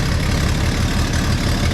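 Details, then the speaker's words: Classic inline-six truck after muffler removal, exhaust known leaky: low throbbing idle with rough puffing pulse; suspected exhaust manifold leak rather than collector gasket, not confirmed. "That sounds like a manifold leak. I'm not feeling a lot of air coming out of the collector,"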